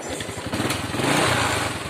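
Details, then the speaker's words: Honda Wave 100 single-cylinder, idling: steady, even putter with no stumbles, a clean idle; the bike stumbles and stalls on acceleration. "เดินเบาเดินเบาดีอยู่นะครับเร่งเองไม่ค่อยดีนะครับ"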